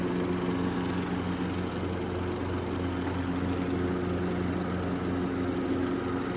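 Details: Riding lawn mower test run after DIY fix, blades engaged: steady single-cylinder drone at even pitch, no knocks or squeals; normal running.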